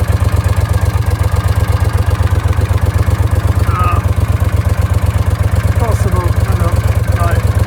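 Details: Honda CX500 twin at a steady idle with strong, even low thumping and birdsong behind; smooth firing with no knocks or rattles; battery charging measured at 14.2 volts; sounds healthy.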